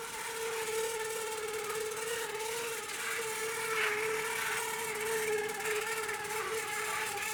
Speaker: I'll just show you how bad the noise is so not too bad going slow like this